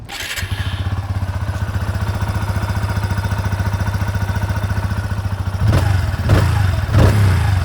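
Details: TVS Apache RTR 160 2V, about 15,000 km and 1.5 years old, idling hot after 70 km of continuous riding: light rapid scratchy "khach-khach" ticking on each firing beat, appearing after long runs; owner told it relates to engine oil at high temperature.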